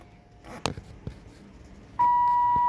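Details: 1980s Lincoln Town Car/Mark VI after replacing the door warning chime with a used unit from an '85: a few light handling clicks, then a clear steady mid-pitched warning tone, the chime working normally.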